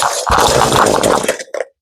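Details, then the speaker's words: Ryobi two-cycle string trimmer after carburetor replacement buzzes roughly, sags, coughs once and dies because it won't hold idle. Idle speed is set too low, and turning up the idle adjustment screw stops the stalling. "Ang nangyari naman ngayon namamatay siya sa idle no sa menor. Wala siyang menor."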